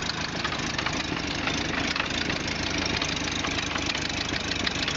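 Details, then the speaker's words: 1929 Ford Model A pickup, old flathead four-cylinder with updraft carburetor, recorded with the hood open at a rough hissy idle with rapid uneven puffing tick. Exhaust leak. "there she is an old Flathead it's got a bit of an exhaust leak"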